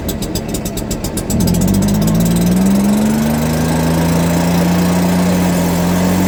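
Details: Stihl BR340 backpack blower after teardown, cleaning and carburetor work, on the customer's old fuel with no carburetor adjustment: quick ticking idle, then a clean rise to a steady high drone without sputter; running properly.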